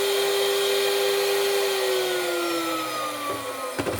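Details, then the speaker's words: Bench test of new VFD spindle for Genmitsu ProverXL 4030 desktop CNC, free run at full speed, 24,000 set, tachometer 23,873 rpm: clean steady high whine, no roughness or knocking; healthy spindle. "and this says 13,400 13,300 and something so it seems we're you know roughly 1% off now up to 24,000 23,87350"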